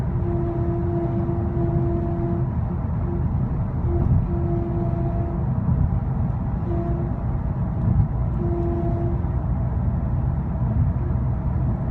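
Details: 2010 Skoda Octavia 1.6 CR TDI at motorway speed, above 60 mph, driving or on cruise control: a steady mid-pitched whine fades in and out over heavy road rumble; intermittent, louder in person, cause unknown.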